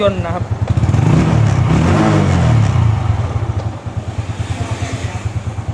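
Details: Old first-generation Honda Wave 110i idling after replacing only the fuel pump motor; small blips then an even putter about three beats a second without stumbling; fuel pressure checked in range, idle steady and healthy.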